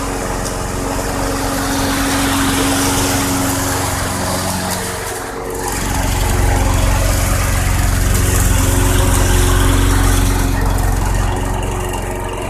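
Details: 2006 Craftsman 917.376160 push mower with 6.75 hp engine, found roadside and rusted out, running on 90-octane ethanol-free fuel with a suspect primer bulb: steady, even running, pitch rising slightly midway; engine great though the deck is not reusable.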